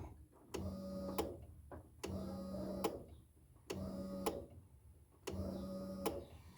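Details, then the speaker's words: 1987–96 Ford F-150 after a carb swap with factory fuel pumps rewired: sharp fuel pump relay clicks in pairs on each key cycle, about every 1.5 seconds, with a short pump hum between them; relay working properly. "Now by doing that you can actually hear the relay clicking I don't know if you can hear that he's going to cycle the key and maybe you can hear the relay click"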